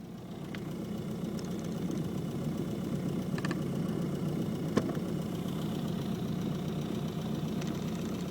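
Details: Isuzu Trooper after turning off the AC: a quiet, even idle with sharp, irregular clicks every second or two on top. The odd noise's source has not been found.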